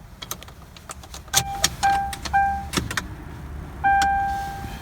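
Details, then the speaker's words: 2003 Crown Victoria with a cold-weather no-start after a replacement fuel pump motor, key on in freezing weather: a steady mid-pitched hum comes twice for about a second each. The fuel pump primes normally, resolving the no-start. "fuel pump just spun up there you go that's it"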